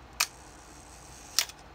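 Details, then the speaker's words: Nikon F Photomic 35mm SLR, repeat firing at 1-second shutter speed: two crisp clicks a bit over a second apart with slight mechanical hesitation, the slow speed dragging long; speeds past 1/4 second run slower than they should. "So you can hear a little bit of hesitation in the camera mechanics on the 1 second shutter speed."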